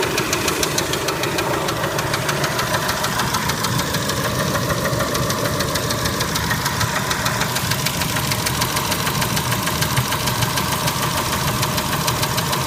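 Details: Kia Spectra engine at idle: loud, persistent sharp knocking about three per second over the idle; engine knock of unknown origin.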